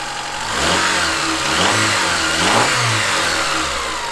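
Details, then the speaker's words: Honda Accord (CB7) with 183,000 miles, first start, no trouble codes: crisp, even revs climbing and falling smoothly over about four seconds, no knocks, misses or marbles. Normal revving. "it actually sounds really good I mean for 180 3,000 miles it's gonna it's gonna make some noise but that actually sounds really good"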